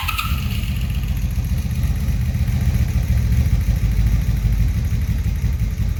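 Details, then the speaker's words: 1983 Honda Magna 750 V45 after a head replacement for a broken valve adjustment screw, cold start: catches and settles into a steady even idle with no knocks or ticking. About 100 trouble-free miles since; normal. "And there she is. Sounds good. Now I put about 100 miles on it since I did the work, and I haven't had any problems since"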